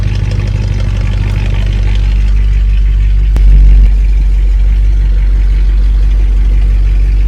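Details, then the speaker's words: 1959 Cadillac V8 that sat a couple of days, cold start before a compression test; oil pressure and charging are good and it runs a little rich. A constant low growl under a fast, even idle; the power steering pump sounds terrible. "They have good oil pressure. Charging good. You hear that power steering? Just terrible."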